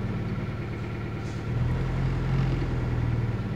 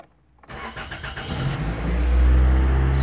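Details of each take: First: 2000 Toyota Celica GT 1.8L with codes P0300 and P0302: idle lopes unevenly with irregular low thumps about four per second, worst in Drive; misfire on cylinder 2 from a dead ignition coil, weak coil on cylinder 3. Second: 2000 Toyota Celica GT 1.8L after repairs on cylinders 2 and 3: brief crank, catches at once, steady even run, no extended crank as before and zero misfire counts on all cylinders.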